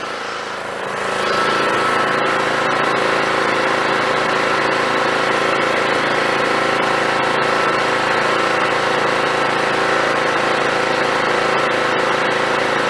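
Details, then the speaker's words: John Deere GT262 lawn tractor after carburettor swap, low idle: even, steady beat with no misses or knocks; normal idle. "let's see what happens now that everything's hooked back up foreign that sounds pretty good hell I might not have to do anything"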